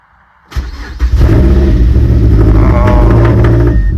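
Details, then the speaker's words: Mazdaspeed 3 with cylinder 3 misfire code, after reinstalling spark plug (plug looked white, owner suspects lean): cranks and catches, then uneven lumpy stumbling idle, sounding even worse; rough running at startup from misfire. "Oh my god, it sounds even worse, dude. We're cooked. We're fucking cooked. Yeah, it does not sound good. It's not even on a cold start delete."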